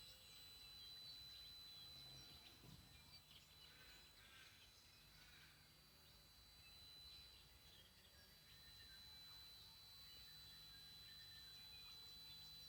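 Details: Tristar TS-MPPT-60 solar charge controller: thin, steady high whistle at one pitch over quiet birdsong; squeals about 15 minutes mornings and evenings and loudly during MPPT-to-Absorption transition, cause unknown.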